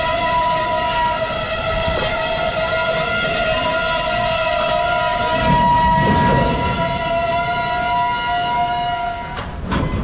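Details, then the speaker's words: Norfolk Southern freight on lightly used, deferred-maintenance branch track slightly out of gauge: steady high-pitched wheel flange squeal with several ringing tones over the rumble of passing cars. "I've seen some maintenance away equipment parked on a siding down the way, but you can hear those flanges squealing."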